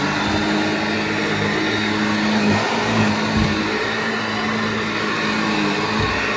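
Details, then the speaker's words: Vintage Hoover 1334 upright vacuum after motor strip-down, cleaning and bearing cleaning: steady even motor drone with constant hum, no rattles or scraping; runs normally. "Now that sounds so much better. So there we go, we know it works."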